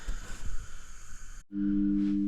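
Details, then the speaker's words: Rapido GWR 44xx model locomotive with DCC sound on a test track: steady low electrical buzz at one pitch from the connected DC controller used for running in locos on a rolling road. "So, interestingly, um if you can hear buzzing there, that's cuz I've got my um DC controller connected to the test track which I used to run in locos on uh rolling road."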